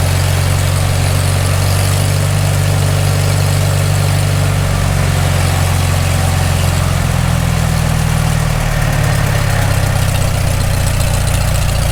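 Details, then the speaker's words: Farmall Super M first start after full rebuild, still cold, rpm raised slightly, hydraulic pump pushing against relief: loud, deep, steady engine note, even with no knocks or misses. Normal running. "good i like it"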